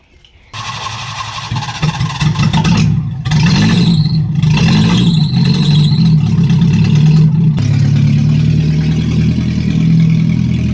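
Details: Nissan 1400 cold start with new racing exhaust: loud, raspy, puffing idle with rough low blat; exhaust snapped off right underneath the branch of the new flange.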